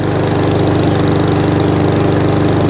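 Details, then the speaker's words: Job-lot mower reported as over-revving, loose airbox refitted (blown-off airbox a sign of over-revving), drive working: screams at a steady high speed with fast even firing and no change in pitch, no throttle control; carburettor clean and setting planned. "That is a sign of it over revving when the airboxes are loose on these. They blow the airbox off."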